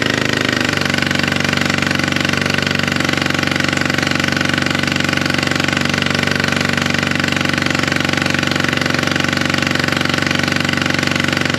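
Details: Polaris RZR 900 fuel-injected twin at idle, plugs cleaned and regapped to 0.030 in: harsh, uneven chuffing about three beats per second with sharp pops spitting back through the intake; misfire, owner suspects a valve not closing, later traced to a broken camshaft.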